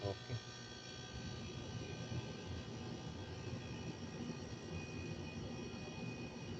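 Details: Refrigerator compressor that had a hard-start problem, after fitting a new relay and overload (capacitor mentioned as fix): low steady drone holding even over several seconds without clicking off; compressor now starts and runs normally.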